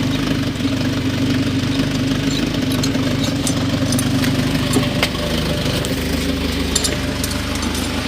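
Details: Small petrol engine after a no-start, no-click fault: settles into a steady idle with an even beat and no knocks or grinding. Now runs normally.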